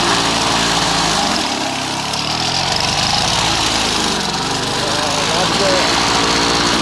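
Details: Old Victa Impulse Start Utility two-stroke mower, as found, mowing: a high, buzzy note holding steady revs, with only a slight sag under load and no misfires. Runs healthily.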